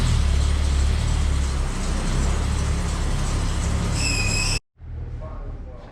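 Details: Slammed ice cream truck, first start on a chilly day after sitting outside through a Michigan winter; block found not frozen: deep, heavy rumble with steady low beat, brief drop, then quieter even running; normal idle.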